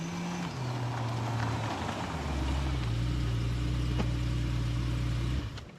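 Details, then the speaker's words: Salvage BMW E92 M3 V8 after rebuild and MOT, new oil and power steering fluid, driving: deep, smooth, even drone through gear changes, no knock or rattle; shifts smoother, so quiet it seems barely running. Normal running. "Right, so this thing is absolutely worlds apart. It shifts smoother, it drives better, the whole car sounds that smooth. It sounds like it's barely running,"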